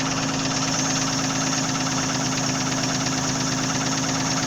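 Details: Nissan VG30E engine at steady idle: a rapid, fairly even tapping knock of about three per second; owner asks what is knocking, cause undetermined.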